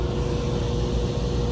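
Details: Carrier rooftop unit on a 16°F morning after a broken blower belt tripped the high limit; new A49 belt fitted looser and limit reset: steady deep hum and rumble, no belt squeal or slapping; blower running smoothly.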